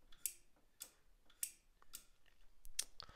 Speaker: I'll switch that switches it on and off and it does this using a small amount of voltage